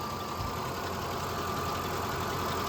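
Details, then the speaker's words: 2005 Ford F150 5.4 Triton V8, 188,877 miles, timing chain and cam phasers replaced about 10 years ago, burns oil: steady idle with faint thin metallic chatter and a high ring; light rattle, owner suspects phasers/timing need redoing. "can hear a little bit of metallic noise going on there."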